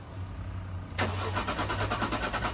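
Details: Jaguar S-Type left standing six years, quarter tank of fuel of unknown age: starter spins the engine with a steady chugging rhythm of about six beats a second but it never catches; fuel pump not heard running.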